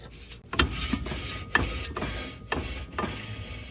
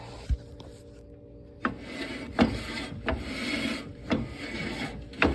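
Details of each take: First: 1994 Toyota 4Runner rear drum brake turned by hand after fitting a new drum and adjusting the shoes: soft, even scrape about once a second, no grinding, correct light shoe drag, easy to turn with one hand. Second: 1994 Toyota 4Runner rear drum brake with a new drum, turned by hand after adjusting the star adjuster; slow rasping grind about once a second shows the shoes set too tight and dragging, before backing them off to a light drag.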